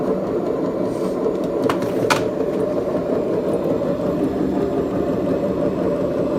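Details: BEKO washing machine, 7 years 8 months old, drum bearings gone bad: steady low rumbling drone from the spinning drum, rough and gravelly with no let-up, typical of worn drum bearings.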